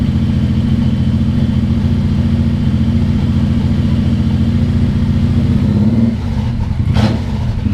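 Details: Suzuki Boulevard M109R V-twin just after an oil change with about 3.6 L of fresh oil, idling to circulate oil after the oil light went out: steady, heavy, lumpy idle pulse, even, with no misses or knocks; normal idle.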